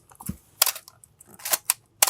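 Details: Canon A-1 camera after Canon Cough repair (mirror box gears lubricated), reassembled: several crisp, clean shutter releases, even and quick with no squeak or drag; shutter fires normally.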